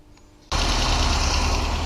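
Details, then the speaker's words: VAZ 2108/2109/21099 with 8-valve 1.3 engine, running after the timing-belt idler roller was replaced and the alternator belt re-tensioned. An even rumble with no whistle or squeal from the belts: normal engine running. "сейчас завел двигатель покажу вам как к ремень должен работать на заведённом как он должен подыгрывать"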